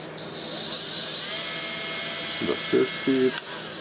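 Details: Milwaukee M12FDGA angled die grinder after switch teardown and repair, run at low speed: high, steady motor whine that rises slightly and holds even, no rattle or catching; grinder healthy.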